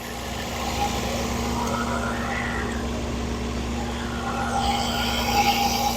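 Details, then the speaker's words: 2011 Ford Focus 2.0L four-cylinder idling after thermostat replacement, before reaching temperature (was not warming up, idle issues when warm); even, steady idle, smooth with no ticks or knocks. "And you know, as you can hear, she runs very smooth. There's no tings or knocks or ticks or nothing like that."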